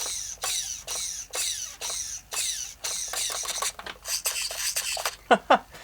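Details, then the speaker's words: Thunder Tiger EB4 S2 Pro nitro RC buggy with a new horn fitted: the steering servo gives short, sharp whirring bursts about once a second as it sweeps back and forth, with no stalls or chatter. Servo, receiver and transmitter all working normally. "so we got good servos we've got good steering we've got good receiver good transmitter all that's good"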